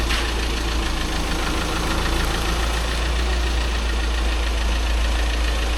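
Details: VW Crafter diesel van just after clutch and flywheel replacement, being test-moved in reverse: steady, even idle with the usual diesel clatter, no odd knocks or slipping noises; normal idle.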